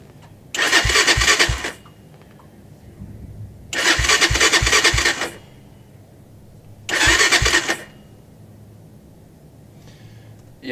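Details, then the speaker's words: Carbureted ATV that sat in winter cold: three cranking bursts about a second each, starter spinning the engine briskly, but it never catches and runs; a recurring winter hard-start problem. "that's never a good sound. I mean, the that's a good sound, but it's not good that it doesn't start up afterwards."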